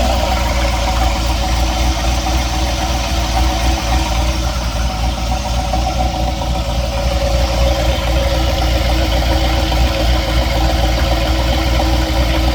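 Car idles with a low rumble and a faint irregular knocking under it, roughly three or four a second; knock of unknown origin.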